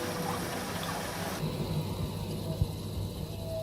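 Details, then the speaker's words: Vaillant ecoTEC Pro 28 boiler after fixing a fuse-blowing fault: central heating pump runs with a low, steady hum and faint water trickle, no rattle or grind. "turn this back on we've got the pump running"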